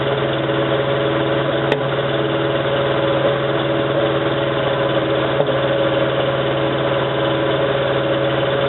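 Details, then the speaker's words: 1987 Toyota 4Runner, high mileage, cold start first thing in the morning: rough, stumbling idle with pops, still misfiring after about 3 minutes. Cause was a cheap head gasket on the reman engine leaking coolant, which cracked the aftermarket head and fouled the plugs. "So that was running for like 3 minutes and it was still misfiring."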